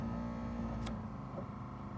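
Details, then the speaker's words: 1970 Chevelle wiper motor, wipers not installed, tested from under dashboard with first restored wiper switch on high speed; quiet steady electric hum, even pitch, no grinding or catching; runs low, high and parks properly; normal. "So now we know the first switch is good, it's working as intended. it parked itself properly and it went into low and high speed without a problem."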